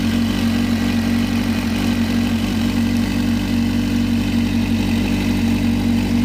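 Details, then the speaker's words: Motorcycle in garage during fuel pressure test; pressure is 43 psi at idle but drops while riding, and fuel delivery test failed. Previously cut off above 8,000 rpm; now reaches redline but not for long. Steady drone that won't climb higher; owner assumes new fuel pump needed. "earlier today and previously I couldn't rev past 8,000 RP PM without it um cutting off but now seems like all right I'm able to Red Line it but not for long"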